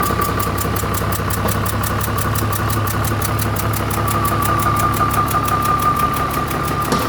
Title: Start dossan excavator engine after overhaul #Dossan#heavyequipment #bulldozerofficial #excavator